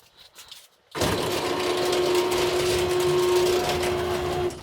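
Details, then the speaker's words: Garage door opener on callback after spring change, belt drive possibly missing or ground-off tooth: steady motor hum and thin whine about four seconds with a jerk as the drive skips over a tooth. "So see. that jerk you hear, it's skipping over the tooth."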